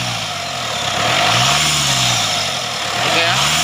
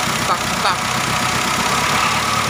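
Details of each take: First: Mitsubishi Triton GLS 4D56 diesel after replacing the alternator, whose loose pulley caused a metallic whining, with a solid-pulley unit: revs rise and fall cleanly three times with only faint turbo hiss; noise gone, normal engine revving. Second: Whine from the front drive of a Mitsubishi Triton GLS 4D56 diesel at idle: steady high whine like a turbo but not. Turbo blades checked fine; tensioner or alternator suspected. Found: alternator pulley one-way clutch bearing worn.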